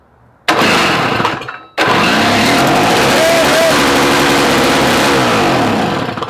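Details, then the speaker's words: Old Snapper two-stroke engine for Toro snow-thrower swap, primed, electric start, two-stroke mix cut with regular gas: brief crank then loud, rough, uneven running; fuel found full of water, carburetor gummed. "All right. Well, water? Yeah, it's full of water and shit. I don't think it didn't suck all its fuel."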